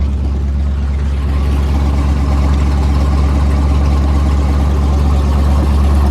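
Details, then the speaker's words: Cold L92 LS V8 swapped into a Chevy Colorado ZR2, straight-piped, on a Holley Terminator Max with an added inline fuel pump, at a raised warm-up idle of about 1200 rpm (under 1000 once warm): a loud, deep, even burble with no misfire or ticking, normal. "I messed with the idle a little bit, so it's gonna idle a little high as it warms up, about 1200. Then once it warms up, it'll go back down to under 1000 RPMs."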